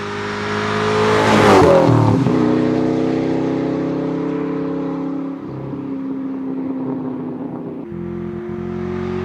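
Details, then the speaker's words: 1997 Ford Mustang GT V8 with new SLP Loudmouth exhaust and BBK X-pipe, started on a cold evening: sharp rev blip then deep, even lumpy idle with loud exhaust note, no check engine light; normal idle and revving. "So far, no check engine lights either, which is awesome. Let's listen to it just idle. It just sounds right, guys. Sounds right."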